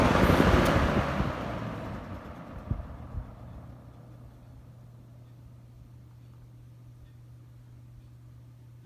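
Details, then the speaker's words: 1970s Kmart Lakewood K-223 20-inch box fan with Marco motor back on high after new spacer cured low-speed knock: loud start settling into smooth, even low hum, no scraping or knocking; normal running. "but thanks to a new spacer that sound is gone and runs smoothly back to high"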